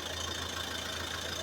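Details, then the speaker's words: Front left driven wheel spinning alone after a new tie rod and end were fitted: a steady low hum with a faint high whistle, no grinding or rumble. The front wheel bearing sounds healthy and quiet. "Kręci się tylko to koło. Tutaj mamy ciszę."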